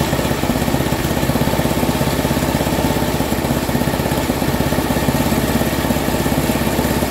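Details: Free Craftsman 10/30 snowblower, 10 hp Tecumseh engine, being scrapped: even quick single-cylinder thumping at steady speed, no misses or knocks; running healthy.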